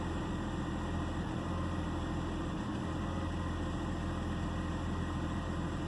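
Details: 2009 BMW 328i xDrive coupe: low idle hum with an uneven beat and a brief stumble near the middle. Misfire and rough idle.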